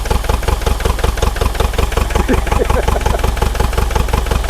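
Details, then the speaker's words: Frozen, neglected Bobcat T595 diesel skid steer, started cold after glow plug warm-up and battery issues: lumpy uneven low chugging with gaps in firing, smoking, running on only 1–3 cylinders; misfire, possibly flooded cylinders with unburnt fuel. "She's chugging, but it's smoking. We really shouldn't see any smoke coming out of it, but it's only running on 1 or 2 cylinders at the moment. Maybe 3."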